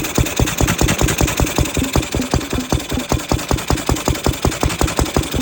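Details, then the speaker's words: Ruston 6PS petrol stationary engine, belt-started after magneto remounted to fix drive coupling that had popped out, water cooling fitted: crisp, evenly spaced firing beats at steady idle, roughly six per second, no misses or knocks; running sound. "I have the Ruston now running on the good one belt start. There she is."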